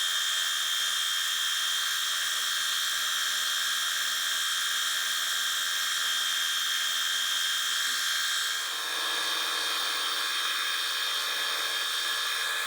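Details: Fly cutting the top of a Ronaldson & Tippett engine's cast cylinder head at slow feed, about an inch a minute: steady high whine with even cutting hiss, tone changing late in the pass; normal smooth cut.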